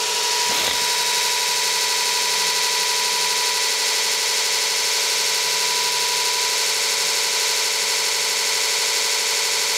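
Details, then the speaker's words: Custom motor controller on electric bike (ME-1003 motor, ~80V LiFePO4), buggy current-setpoint code bypassed with a fixed value, throttle up: steady, even whine with clean high tones, no surging or roughness; running smoothly at full speed. "so if I turn this up there we go sounds like she's running full speed"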